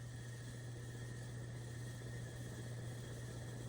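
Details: Nutone Verandah Deluxe ceiling fan on Nutone Skylark control, possibly the highest setting: steady low hum with faint high whine throughout; motor hum on this control, cause unclear.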